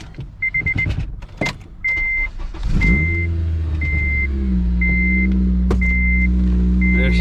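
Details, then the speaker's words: Honda K20 six-speed, first cold start after purchase. Door chime beeps, quick crank and clean catch; idle rises then settles into a steady, even hum with no knocks; motor sounds healthy, normal cold start. "goes good yeah motor sounds good sounds healthy yeah give it a go hell yeah sounds good motor sounds healthy"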